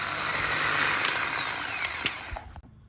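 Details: Starter removed from built turbo Volvo wagon drift car, Chinese-stamped unit spun free out of the car: harsh high-pitched whir with scraping edge, then clunks as it spins down; armature rubbing from failed thrust bearing.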